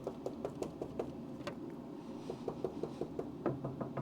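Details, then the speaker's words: 1969 Dodge Coronet 500 sedan (318ci V8, 904 auto) during restoration: knuckle tap test on a rusted body panel under 1/8-inch body filler gives dull dead thuds over rotted metal versus livelier ring on solid metal above. "Oh. See this? None of this is metal. This is all rust. But above it though, see above it is nice."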